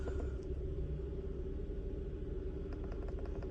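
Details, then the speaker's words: 2015 Hyundai Tucson 2.4 L petrol with code P2188 (system too rich at idle) idles with an uneven, lumpy rumble. It still misfires on cylinder 1 after its coil was swapped to cylinder 2, pointing to a bad spark plug. "now you can see still misfiring on number one one"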